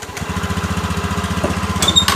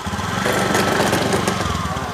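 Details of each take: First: Honda Beat eSP scooter after replacing worn-out CVT clutch shoes: engine idles steadily then revs smoothly pulling away, no earlier knocking/clunking on takeoff; normal CVT pull-away. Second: Honda Beat eSP scooter: rough uneven knocking judder from the CVT only when pulling away, normal at idle and once moving; cause was worn-out clutch linings.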